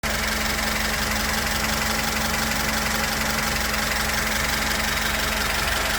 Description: запуск откапеталенного мотора ваз 2102 после установки и регулировки клапанов. Главное теперь хорошо обкатать